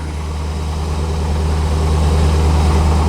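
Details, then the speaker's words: 1985 C4 Corvette idling cold at 14 degrees after a won't-start fault traced to a poorly connected negative battery cable. Steady, even low idle rumble with no knocks or misses; battery charging, oil pressure and RPM good. Normal. "But now, it's working. And as you can hear, running. Battery's charging, oil pressure's good, RPMs are good."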